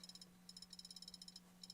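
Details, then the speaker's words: Old laptop hard drive that went out: faint rapid high ticking chirps in repeated bursts over a low hum, the internal mechanism retrying and failing to read; being replaced with a new drive. "That's the internal mechanism trying to read the hard drive, and it's failing. So it's a good thing we are just installing a new one right now, huh?"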